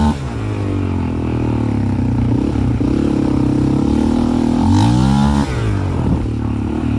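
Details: 2001 Raptor 660 single-cylinder with Hotcams stage 2 and slightly imperfect cam timing alignment, safety switches bypassed: uneven, stumbling low-rpm misfire, then revs rise cleanly. Same fault with old and new carbs; cause not found.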